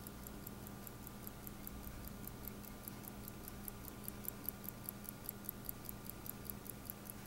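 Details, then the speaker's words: Late-1960s/early-1970s Chateau Sport chronograph with EB 8420 movement, opened, crystal professionally replaced: crisp, even ticking at about five beats per second. Normal watch ticking. "I'll be quiet for a moment and you actually hear the ticking it makes a great ticking"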